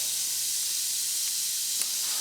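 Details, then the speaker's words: Tractor tire puncture being reamed before plugging: steady high-pitched hiss of air escaping through the hole, no engine noise, coming out firmer as the reamer smooths the hole; tire air leak. "we'll run that few a few times basically what's going to do is kind of smooth out that hole a little bit and get it prepared for the plug so we hear the air start coming out a little bit firmer"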